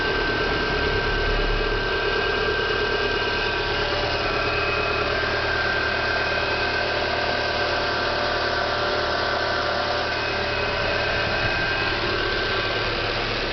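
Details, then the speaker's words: Renault Clio 1.6 16V after a new accessory belt was fitted to cure a noise at the alternator pulley (tensioner bearing or water pump had been suspected): smooth, constant idle with no squeal, chirp or rattle. Problem solved. "então tá aí galera resolvido aí o problema do Renault Crew"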